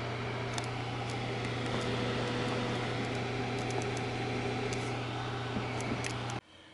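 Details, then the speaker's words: Computer GPU card fans, previously stuck and overheating to 92°C, running continuously at low percentage with no load after being prodded free with a pencil: steady even whir and low hum, no scraping or ticking; spinning freely. "it to continuously use the fan at a lower percentage even when there's no load that's where you can still hear the fan"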